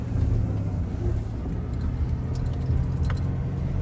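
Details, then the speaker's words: 2000 Ford Ranger 3.0L V6 idling high with foot off the pedal, a steady raised drone; owner suspects a sticking idle air control valve, and the fix was cleaning a dirty mass air flow sensor, throttle body and idle air control valve. "Alright, so my truck is idling super high. Just dropped a little bit. I lit up on the gas, it's just accelerating. You can hear it just revving. Foot's not even on the gas pedal. Thing's just revving like crazy."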